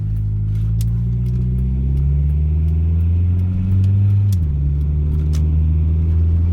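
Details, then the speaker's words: 1996 Acura Integra test drive after fixing an exhaust that rattled under load at low rpm; steady, low engine drone under load with no exhaust rattle. "now, no rattles."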